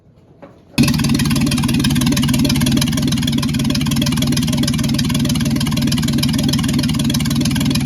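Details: Secondhand Ford 300 inline six, first test run with junkyard intake, Amazon carburetor and choke held open, no fan or turning water pump. It catches at once and runs loud, steady and even.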